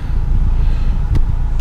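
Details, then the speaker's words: 2013 Kia Forte Koup, 171,000 miles, once warmed up: a steady, low, even idle with no knock or whine. The cold-engine noise is gone in drive, neutral and reverse; it seemed RPM-related around 900 rpm, fading above 1000. "of course shows as the engine is warmed up a little bit that noise you know even sitting inside the car you know has gone away because they're wearing Drive neutral reverse and we're good"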